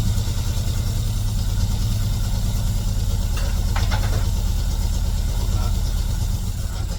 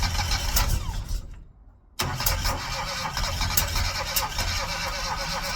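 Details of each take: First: Classic Mini running for the first time in 12 years despite low compression: steady, even low engine rumble with no knocks or misses; normal idle after long storage. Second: Classic Mini engine with low compression, first start after 12 years in storage and leaking oil: it cranks, stalls, then catches and runs with an uneven, stumbling beat. Runs rough after long storage.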